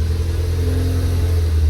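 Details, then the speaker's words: Ford Focus ST-3, crash-damaged repairable salvage car under repair, revved after start-up: deep, smooth exhaust note building steadily, no rattles or blowing; engine sounds lovely and healthy. "Wow, that sounds lovely. Really nice."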